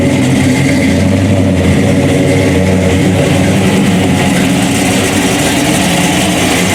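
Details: General Lee tribute with 426 HEMI V8 and 871 blower, MSD ignition, 5-speed Tremec, detuned for street (est. 800–900 hp when fully turned up): deep lumpy rumble swelling on throttle blips and settling back, even firing; running properly.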